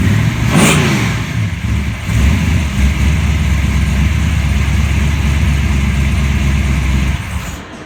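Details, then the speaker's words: Chevelle rated at 700 horsepower, just after the timing was set and the oil changed: fires straight up into a deep rumbling rev, settles to a strong even lope and shuts off cleanly; normal start and rev. "So there you have it. 700 horsepower, ready to go."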